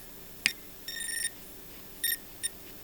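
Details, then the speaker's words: Bakon BK601S Pro soldering station (245-tip iron), soldering on a grounded surface: short high-pitched chirps come from the iron tip in bursts, unlike on a non-grounded surface; leakage current flowing from the tip into the grounded work. "However, I noticed that when soldering on a grounded surface, the very same chirpy noise is coming from the tip of the iron."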